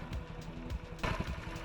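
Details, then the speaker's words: Honda Ruckus with a new fuel line and no fuel leaks, warming up while the idle is adjusted upward. Low, lumpy idle that wavers and surges, still set a bit low: uneven idle. "see there's there's still a little bit of inconsistency in it idling when it's I want it to be consistent sounds like it's getting there"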